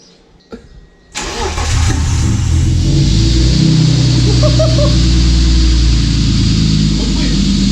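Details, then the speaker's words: Engine-swapped car with a full stainless exhaust (manifold, X-pipe, Super Sprint muffler), short crank catching at once and settling into a steady, even idle with a deep, smooth exhaust note; clean, healthy start. "Ça va, la cage démarrée là."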